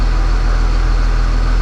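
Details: Diesel machine with a starting problem, after checking the starting circuit and fuses: a loud, steady, deep diesel rumble with no misses or knocks; it has caught and runs evenly. Normal running.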